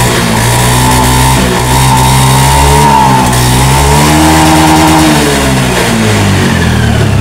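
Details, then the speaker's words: Motorcycle after fixing a fuel pump that would not hum at key-on, pump pressure about 50 psi; small single revs rise and drop back smoothly with no misses or knocks; running normally. "Oke, sekarang starter. Nah, nyala Pak."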